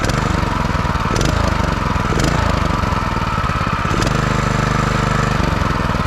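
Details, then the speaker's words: Brand-new 2021 Predator 212cc 6.5 hp four-stroke engine, just unboxed and oiled, first start. Steady, even single-cylinder chug at constant speed with no misses, knocks or rattles; running strong. "that thing is awesome dude look at that yo this thing got power you can hear it oh yeah this is nice dude let's start right up yo hold on like a beast yo"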